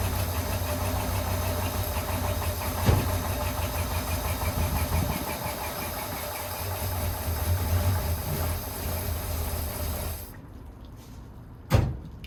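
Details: 1972 International 1210 pickup V8, sitting after overheating, first start after storage on ignition with bad gas concerns and runaway fuel pump; deep, uneven low rumble idling about ten seconds then shutting off, runs but not settled.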